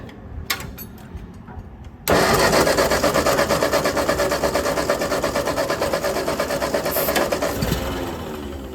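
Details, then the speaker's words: Ford 8N tractor with replacement carburetor, float sticking, weak starter Bendix: about two seconds of uneven cranking before it fires, then loud lumpy running near three beats a second; hard starting blamed on the carburetor. "Carburetor still bad. Try it again. Crank it up again. Still carburetor."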